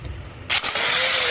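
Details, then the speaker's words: Angle grinder after it was opened and repaired for bearing play that made it vibrate and change sound. Now on 220 V, it spins up from a quiet start to a high, even whir with no rattle or vibration: smooth, like new. "Coloquei 220 ali, ficou muito boa e aí ficou zerada. Beleza, ficou nova aí."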